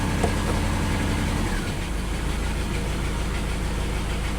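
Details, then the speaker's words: Lexus LS400, owner thinks 1997: the engine settles into a steady, even low idle with no racing or hunting, not running badly; it later revs up again and smokes slightly. "Oh, surprisingly it started up and it's not revving like crazy anymore. It's actually Not running bad at all."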